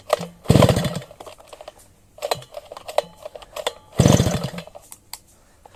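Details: Sviatiaz BT-430 petrol brush cutter that won't start after a refuel. Each pull gives a brief sputtering burst that dies within a second. Flooding wets the plug. Faulty spark plug causing hard starting; a new plug started it first pull.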